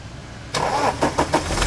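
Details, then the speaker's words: Toyota Hilux 2.5 diesel started after the accessory belt repair: steady diesel clatter with no belt squeal or scraping. The belt noise is gone, leaving only slight engine noise that appeared after the radiator failed and overheated. "então o motor tá com barulho tá um pouquinho mas isso esquece o barulho do motor do barulho da correia desliga Diogão viram que o barulho não faz vai de novo"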